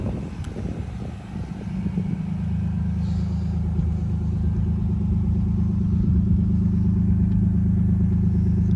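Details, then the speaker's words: 1991 Nissan Laurel Medalist Twin Cam started and idling, heard up front; smooth even low rumble, no valve or belt noise; engine healthy. "It's really, really quiet up front. No valve noise or belt noise or anything like that to worry about."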